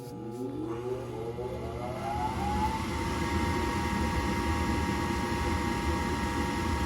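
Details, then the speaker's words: Horizontal gas-fired furnace in an attic: the blower winds up with a rising hum, then holds a steady tone with a rough flutter. Amp draw reads 4.7 A on the blower and 1.8 A on the inducer. "and we should just get our blower last and we're probably going to take an amp draw on this because it doesn't sound good"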